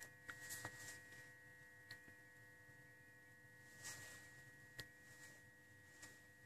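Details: BMW E38 740i idle control valve, key in position 2, engine off: steady high-pitched buzzing hum with a few faint clicks; normal ICV buzz, louder as the valve wears.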